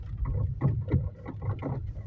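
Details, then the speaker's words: Chery Tiggo 4 at about 3,300 km, driving on gravel: irregular hollow knocks and clatter from the steering; owner suspected steering or stabilizer links, but the loose intermediate steering shaft joint near the pedals was tightened under warranty. "я думаю, слышно грохот. Что-то в рулевой или стойки стабилизатора."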